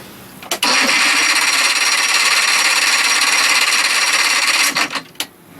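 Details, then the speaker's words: Johnson 60 HP outboard with no spark, kill switch lanyard off for the first time: about four seconds of steady, even cranking with no firing at all. Owner suspects the kill switch. Cranking, no start. "the worst thing I can think of is that stupid kill switch it's the first time this lanyard has been off let me hold this button in and see nothing's happening"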